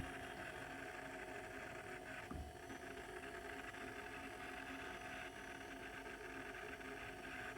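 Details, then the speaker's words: Fridge converted from R600a to barbecue propane (R290), compressor running over 10 minutes, drawing about 73 W, compressor still cold: steady low hum with faint tone, louder than before, no knocking; running well. "But it sure sounds good now. It's making more noise than it used to."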